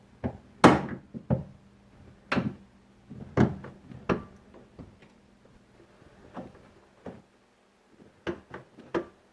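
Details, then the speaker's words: 2001 Chevy Silverado driver's door after installing a new door check: door swings with crisp, solid detent clicks and a solid close, much quieter, no creak or pop; door check now working properly. "Much quieter. Nice solid detents. Yep, nice solid detents, and it is much quieter."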